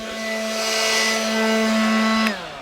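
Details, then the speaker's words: Cordless leaf blower that switched on by itself, apparently bumped: steady high buzzing whine at constant pitch for two seconds, then a quick wind-down as it stops; running unattended. "the xbox leaf blower somehow started on its own it must have hit something in here how in the world does that happen"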